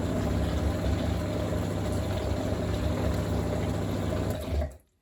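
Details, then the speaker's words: Used Grohe Blue Home under-counter water chiller and carbonator, newly installed DIY, whose fault is weak fizz. An even low pump hum with a quick regular pulse and water rushing through, cutting off cleanly; running normally, no leaks seen. "Don't see anything leaking, and it seems to work just fine."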